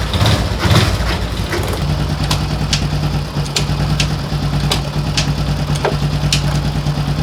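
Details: Daelim Citi Ace 100 (CA100) small single after replacing the worn clutch lifter roller assembly blamed for gear-shift noise: steady low putter, light valve ticking, no grinding or clunking; normal idle.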